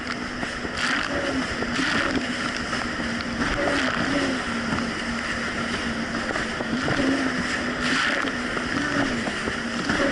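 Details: 2007 Yamaha VX Cruiser jet ski on Lake Michigan, which earlier surged and bogged: a steady, even engine drone over water noise under load, with no surging or dropouts; normal running under load.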